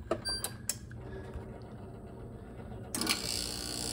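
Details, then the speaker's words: Bradford White heat pump water heater after replacing a failed capacitor with a homemade one: a few clicks and a low steady hum, then the rotary compressor kicks on and runs smoothly; unit fixed and cooling again, normal compressor run. "Capacitor fixed the system. Compressor is running. You can hear it humming away here."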